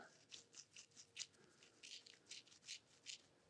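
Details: PK Ripper BMX bicycle after 10 years of riding, bearings spun by hand before ceramic upgrade: faint, dry, uneven rattling bursts about twice a second; rough, worn bearing.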